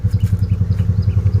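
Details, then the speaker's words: Nissan Almera/March, about 12,000 km: lumpy idle with uneven stumbling beats and engine shaking, check-engine light on; suspected leaking ignition coil not supplying full spark, cylinders not all firing. "เครื่องยนต์มันก็จะสั่นๆหน่อยครับเนี่ยครับเสียงมันจะสะดุดนะครับทุกๆปกติมันจะไม่เสียงแบบนี้นะ"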